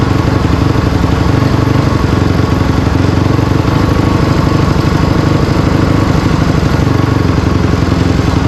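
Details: Honda CRF250R engine in a go-kart after water pump rebuild (new shaft, seals, bearing) for a coolant leak, test run checking for water leaks: fast steady, even single-cylinder beat with no knocks or rattles; normal running.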